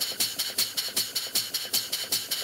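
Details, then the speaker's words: Model steam engine running on compressed air, with its valve set only by sight before any adjustment. Quick, sharp chuffs come about five a second with alternate beats louder, so it exhausts more on one side: the valve setting is off. "it sounds like exhausting more on one side than the other so this is gonna be a little bit by trial and error here"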